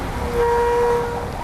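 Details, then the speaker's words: Bicycle disc brake (Motobecane TX8 Pro 3) deliberately sprayed with oil: short loud honking squeal when braking, from oil-contaminated rotor and pads; fix by cleaning the rotor with brake cleaner repeatedly. "이런 식으로 꾹꾹 하는 소리가 들려요 이런 경우에는 이제 기름이 붓거나 이물질이 묻거나 그러면 나는 소리에요"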